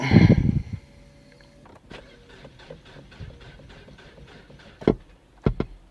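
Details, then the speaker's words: Ford listed as run and drive, about 47,275 miles: faint slow even cranking about three turns a second after a loud thump, engine never catches; crank no start. Owner suspects Ford post-accident fuel disable, unconfirmed. "she tried you heard it just turn over it's not starting something's wrong with it"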